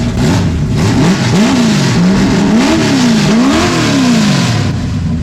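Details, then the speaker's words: 1974 Charger with a 440 V8 (about 422 hp) and a loud stubby X-pipe exhaust, blipped several times with the pitch rising and falling cleanly, then settling to a mellowed idle; healthy. "So I made it a little bit more mellow and idle, but when you wrap it up, it sounds like we're spinning like 2,000 RPM more than we really are."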